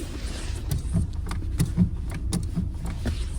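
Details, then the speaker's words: Lada Granta in-cabin: pedal sticking after being sprayed with WD-40, irregular sharp clicks about every half second over a low rumble as it catches and snaps back with a jerk; less than before but persists, to be checked under warranty. "Вроде меньше стало, но иногда это щёлкает и прямо тру таким рывком возвращается."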